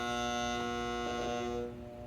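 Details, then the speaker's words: Home air conditioner in desert heat: the contactor coil buzzes as the thermostat calls for cooling but nothing runs, then suddenly goes quieter. The coil receives 25.6 of 28 volts and the contacts are melted, so the contactor is failing. "can you see how that gets quiet? That's a sign that there's some failure going on there."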